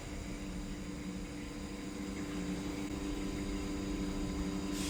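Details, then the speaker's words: Workshop transformer converting Australian 415 V supply to 380 V to power a new lathe: steady mains buzz with a faint rise in level, no rattle or crackle; normal transformer hum. "mea a kā mākou transformer e hana nei, ʻo ia ka hoʻololi ʻana i ka Australian 415 e hoʻololi i ka mana volt i 380 volts e kūpono i ka mīkini."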